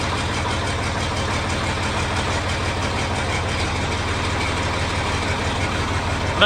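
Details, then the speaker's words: John Deere 4230 tractor after replacing hydraulic drive coupler: steady, even diesel idle with a regular low beat, previous hammering noise gone; running smoothly and quietly. "tell the difference in how quiet that tractor is now"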